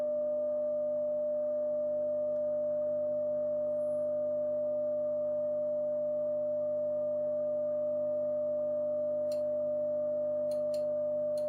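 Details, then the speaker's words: Telefunken Gavotte 55 tube radio after recapping, tested with treble down and tubes being rocked: steady test tone over a constant low buzzing mains hum; something picking up hum, possibly lead dress or tube. "dancing away so something is picking up a lot of hum okay that's fine we know where that is now"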